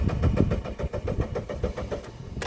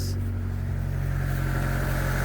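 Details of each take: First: 1999 Mitsubishi Pajero iO (Pinin) 4x4 cranking after sitting with 13 L fresh fuel: even churning crank that never fires; no fuel delivery, no fuel pump prime heard at key-on, owner suspects failed high-pressure fuel pump. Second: 1999 Mitsubishi Pajero Pinin/iO (Lancer-type petrol engine) after replacing bad high-pressure fuel pump that caused crank-no-start: fires straight away into a smooth steady idle, no stumble or misfire; normal start and idle.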